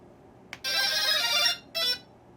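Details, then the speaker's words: Tailsitter drone plugged in: bright rising tone from the motors, then a short second note, the flight controller startup sound played through the ESCs, not the stock jingle, so the ESCs were custom configured; reason it isn't flying. "now the stock startup sound is not in fact the sound that that drone made meaning those esc's have been custom configured"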